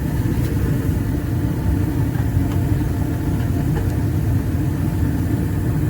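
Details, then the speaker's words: 80% residential gas furnace startup after inducer, pressure switch and hot surface igniter, blower off on delay: steady even low roar without pulsing or popping; normal burner ignition and flame, 4.0 inches water column. "Once we get the flame, it'll let the heat exchanger heat up, and then the blower will come back on. So now we're gonna go to the gas valve. And we got ignition."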